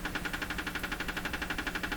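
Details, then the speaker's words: Canadian Westinghouse Model 684 radio under fault tracing: steady fast ticking, roughly ten a second, over faint speaker hiss; outside household interference from an unidentified source getting into the radio. "So this ticking sound you're hearing coming out of here, that's interference in my house from a source I cannot identify, which drives me nuts regularly."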